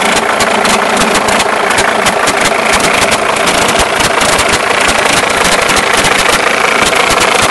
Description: Problem solved. The alternator one-way clutch pulley was broken, and it was making that knocking noise.